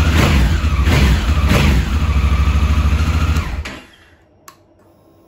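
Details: 2017 Honda Africa Twin, 11,000 miles, after the starter button switch fix (carbon arcing made the engine start then nearly stall): engine catches and runs with an even, strong beat for about three seconds, then shuts off. Starter and engine working normally.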